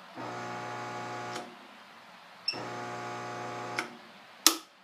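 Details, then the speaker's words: Jet CTAS-10 cabinet table saw during restoration, factory magnetic starter: two short bursts of steady mains hum about a second each end with a click, motor never spins up; sound suspected from magnetic starter, belts already tightened. "the saw does have a magnetic starter that came with it I believe it is Factory and no one installed it but this is what the saw does whenever you hit you started"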